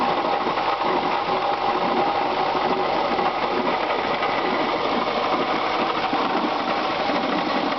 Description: 1996 Subaru Legacy Outback 2.5, 75,000 miles, knocking sound in engine caused by bad water pump.